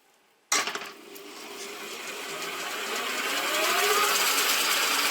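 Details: Milling machine run on a makeshift tape belt bypassing the jockey pulley, to isolate whether worn bearings are in the jockey pulley or the milling head. A rising, hissy whir builds with speed; the noise source is still undetermined.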